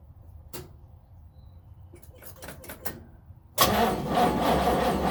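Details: 1970 Chevrolet Nova SS, first cold crank of 2023 after sitting since October 2022 with no battery charging; some clicks, then brisk even cranking that never fires; crank no start.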